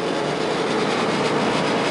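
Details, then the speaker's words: New Kenmore 800 gas dryer just installed with gas hooked up, running very quiet; steady even whooshing rumble from drum and blower, no knocks, squeals or scraping, healthy. "Everything's all lit up and it's running very quiet."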